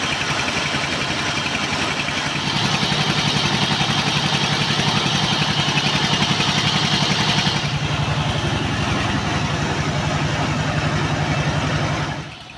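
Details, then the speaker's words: S-1115 diesel driving a rice mill, black smoke, high fuel use, radiator overheating and losing water: steady heavy chugging around 220 beats a minute sagging and deepening under mill load; throttle not high but load heavy, engine labouring and smoking. "देखने के बाद पहला परीक्षण यह पता चला है कि इस चावल मिल के लिए गैस बहुत अधिक नहीं है, लेकिन लोड इतना मजबूत है कि डीजल इंजन स्वचालित रूप से गैस का उत्सर्जन करता है, देखें, आप इसे ध्वनि से सुन सकते हैं"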